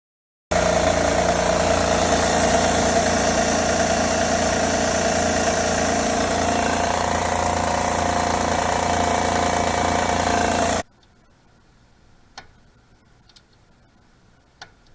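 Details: Honda engine at idle, sound traced to the rear bank timing belt area: light fairly quick tapping about 3–4 beats a second; timing belt has a lot of slack, cause of ticking suspected, not confirmed.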